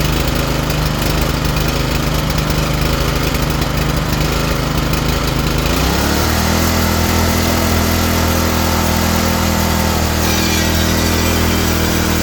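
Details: Ariens tiller small single-cylinder engine after draining fuel containing some water; steady putter settling into a slower, deeper rhythm partway through, runs evenly and sounds healthy.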